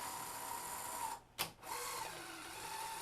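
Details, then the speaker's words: Sony SL-HF400 Super Beta HiFi VCR after slightly tightening the mechanism belt, ejecting a tape: thin steady whine dips with a thump, then a strained tone returns; drive belt a little too tight. "that's a little too tight you can hear the strain"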